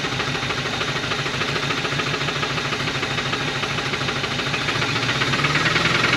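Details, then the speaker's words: 1980 Dodge truck with 360 V8, four-barrel Thermoquad carburetor, four-speed, electric fuel pump, sitting about 18 years, first start on splash of fuel in carburetor: rough smoking idle with regular deep knock about three per second; rod knock. "her family has success she's smoking and knocking that's perfect"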